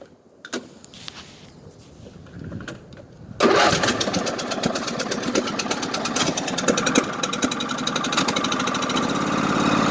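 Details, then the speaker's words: 1998 Craftsman LT1000 lawn tractor with recurring hard starting, cranked with fuel in the tank: slow, uneven cranking for a few seconds, then it catches into a fast, somewhat ragged run. Long crank before starting. "There it goes. So it started. There's definitely something going on with it."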